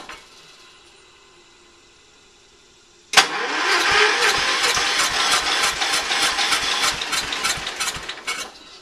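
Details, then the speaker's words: Early-80s Ford LGT120 with a Kohler K301 12hp single, fitted with a new piston; weak battery. After a quiet spell the starter cranks with a slow, even chug, about three strokes a second, and never catches. Hard start warm or cold; owner suspects valves. "we just put a new piston in there and uh it starts really hard I think we might mess some up the valves"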